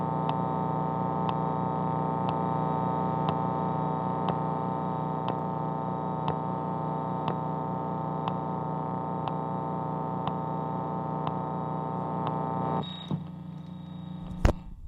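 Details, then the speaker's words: Fender Mustang V2 75-watt guitar amp with Shure SM57 setup, turned up: constant low electrical hum with sharp tick about once a second, cricket-like, more prominent with MT-2 pedal on; cause unclear, owner suspects mismatch or firmware. "if I turn it up you can probably hear that it almost sounds like a cricket or out in the forest somewhere like you're camping out out in the forest you hear lots of bugs making noises"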